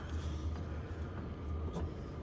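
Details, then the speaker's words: Diesel heater in an Alu-Cab canopy camper, heard from inside, cabin warming from about 13 to 19 degrees in a couple of minutes: soft, steady low hum with faint even pulse; owner notes a ticking he may soundproof; normal running. "so getting old but yeah no it works well might have to quieten down that ticking at some point probably just hear it"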